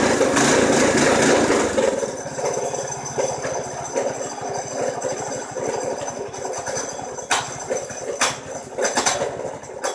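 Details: 212 cc Predator single-cylinder on a golf cart build, first start after priming the fuel system, makeshift exhaust: uneven lumpy chuffing near four beats a second that hunts and stumbles; rough running from carburetor issues.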